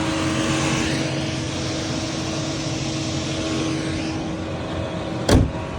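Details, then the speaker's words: Chevy Cruze with the coolant temperature sensor unplugged, reading minus 40: loud, steady rushing roar with a constant hum as the radiator fans run full blast and the AC shuts off for high temperature. This shows the symptom of a bad coolant sensor. "you will not have air condition you'll just have a noisy car saying AC off due to high temperature that's what is the symptom of a bad coolant sensor"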